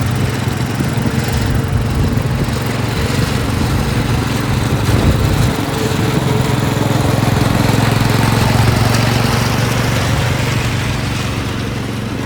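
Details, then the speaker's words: Massey Ferguson 7 lawn mower, long-sitting, running after carb mixture adjustment, driving; owner thinks it needs piston rings: single cylinder pulling at steady low thrum, firing evenly without stumble; normal running. "that's pretty darn cool let's go see if we can find a little Tall Grass somewhere"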